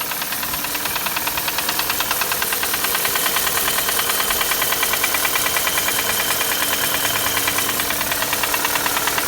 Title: Стук двигателя Шевроле Круз z18 1.8